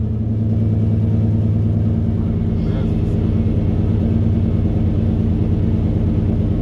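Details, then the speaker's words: 1996 Chevrolet K1500 V8, running much better after revival: deep rumble held at a raised speed that won't drop even after patting the gas. High idle; owner suspects the idle air control valve. "I was telling YouTube, I said it might need an outer air control valve because it ain't idle back down yet. And it ain't like no old carburetor. I tried patting the gas to see if it would come down, but it never did."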